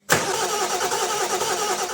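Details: Car diesel engine, cold or in freezing temperatures, cranks with a steady rapid chugging rhythm but does not catch cleanly; may indicate glow plug controller problems, not confirmed.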